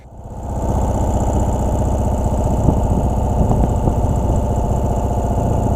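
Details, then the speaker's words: 2017 Ural cT sidecar motorcycle on I-75 near Tifton, GA, suddenly lost power, barely reaching 30 mph, check engine light on, blown ECU: uneven, lumpy hammering at about four pulses a second that never settles; rough running with power loss. "and going at this point but it had definitely lost a lot of power"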